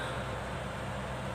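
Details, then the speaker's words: Exhaust fan that was seized and only humming: after the 0.8 µF capacitor was replaced with a 1 µF one, the motor runs with a steady, even hum and smooth airflow, back to normal. "Hai normal kembali teman-teman"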